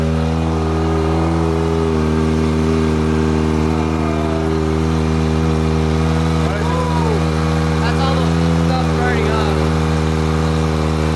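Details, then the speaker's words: Kawasaki Ninja ZX-4RR, first startup after installing a Vandemon full titanium exhaust coated with oil to help it blue; loud, deep exhaust note at a fast, even idle, no misses or knocks; normal idle. "sounds crazy. Turning blue? No, it has to get hotter to turn blue. Man, this thing sounds insane."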